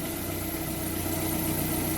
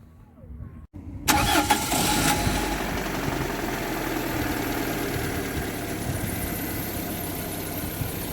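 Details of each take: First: Hot petrol engine after an oil top-up of about 600–700 g: hydraulic lifter knock gone and idle even, with only a faint steady whirr from a worn alternator bearing, to be replaced later. A cold-start recheck is planned. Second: Warm petrol engine after oil service to cure hydraulic lifter tapping: cranks, catches and idles smoothly with lifter knocks gone; a worn alternator bearing remains, cold-start check pending.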